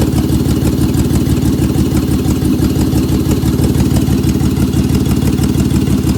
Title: 2003 Honda V6 3.5l, misfire on bank 1, P0301, P0302, P0303 and P1399